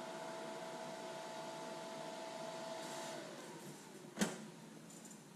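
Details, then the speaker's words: New Lincoln Aspect 230 AC/DC TIG welder after welding: on-demand cooling fan hum, which runs only when the unit is hot, drops in pitch and fades to quiet; normal fan shutdown. "so there you can hear the on-demand fan just kick down and you definitely know when it's on but it's nice and quiet when it shuts off"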